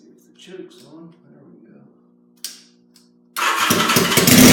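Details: 1977 Yamaha XS750 four-cylinder, first start in 30 years after rebuilt carbs, velocity stacks, new oil and filter, plugs and auxiliary fuel tank. Quiet, then catches abruptly and settles into a busy, even run. Normal start and idle.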